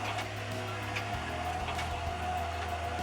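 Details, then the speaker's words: LCI electric RV stabilizer jacks retracting, retract button held until the motors reach the top and amp out: steady low electric motor drone with faint whine, shifting slightly partway; normal retraction. "To retract, I'm going to go ahead and push retract, and I'm not going to let go until the motors get all the way up and amp out, and then I'm going to release retract."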